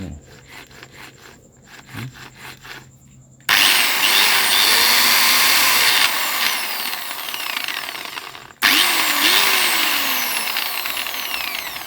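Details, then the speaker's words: Angle grinder (ลูกหมู) gear head, rusty, after re-greasing and rewiring: loud high whine with a rough, rubbing grinding ("กรุ๊กๆ") under it that persists after restart; noisy gear head, cause unclear. "อืเสียงมันอะไรวะะเสียเงินอะไรขัดมันกรุ๊กๆ"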